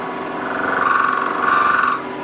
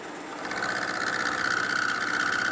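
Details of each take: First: Milling a 12.6 mm tang on a tailstock die holder, 1 mm cut with the workpiece overhanging the vise side: harsh steady buzzing squeal around 1 kHz; chatter suspected from lack of rigidity. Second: Milling machine climb milling the tang of a tailstock die holder after adding an angle plate behind the vise-held workpiece to cure chatter from lack of rigidity; steady high cutting whine, even beat, no harsh chatter. Smooth cut.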